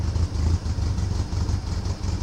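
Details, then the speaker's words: Porsche 914, first start in years, in neutral, thought seized, running on starter fluid with no fuel hooked up: catches and runs rough and lumpy for a couple of seconds; runs briefly on starter fluid, no fuel delivery. "all right well she's a runner oh you're being a stickler huh better hook up some fuel"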